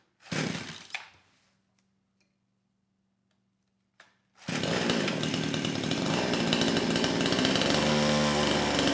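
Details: Kraftworld KW-5800 58cc Chinese two-stroke chainsaw, previously non-starting after being run on straight fuel with low compression; with the new carburetor fitted, choke then throttle locked open, a few pulls, then it fires and holds a steady high-pitched full-throttle scream without stumbling; running properly.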